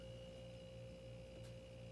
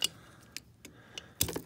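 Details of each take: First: Frigidaire LFPH33M4LM mini fridge that had stopped cooling, just after reconnecting the compressor starter relay: faint steady low hum with constant mains buzz and no clicking. Compressor started and runs normally; it later cooled below 60 degrees. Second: Frigidaire mini fridge LFPH33M4LM not cooling, compressor start relay removed and shaken by hand; loose light rattling clicks in scattered bursts; relay bad, rattling inside, replaced.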